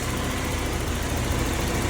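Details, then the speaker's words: 1991 BMW E30 318is, M42 engine, about 200,000 miles, idling after timing chain guides were replaced with later M44-style guides to cure ticking: steady, even smooth low rumble with no ticking, rattle or misfire; cooling fine, no leaks, runs great. "It's cooling just fine. And it runs great."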